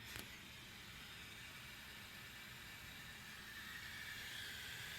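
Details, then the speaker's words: Miata after fuel pump replacement with a Deatschwerks DW200, key on with FP terminal jumped to ground at the diagnostic port; faint steady whoosh with light hiss after a click, the new pump priming properly. "I've got key on, so let's see what it does. Put it right here, and we should hear a whooshing sound."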